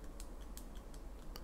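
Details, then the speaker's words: Steeldive 1970 (NH35A) dive watch bezel rocked by hand: faint irregular light clicks from excessive up-and-down play on the rotating bezel; maker called it acceptable tolerance. "there is quite a lot of up and down movement on this bezel it rocks on the face hear it clicking"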